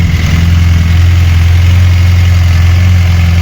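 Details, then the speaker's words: VAZ 21099 after repair, warm at idle with the fan cutting in at 101°: a deep, uneven rattle from the manual gearbox in neutral, not the pistons; it has a sporty exhaust. "До речі оце та не поршень а коробка от послухайте це шумить коробка"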